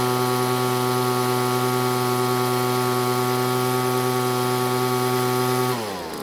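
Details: Poulan leaf blower after engine teardown and backing out the idle set screw: steady, even two-stroke buzz at fast idle with no misses or rattles until shut off; normal running.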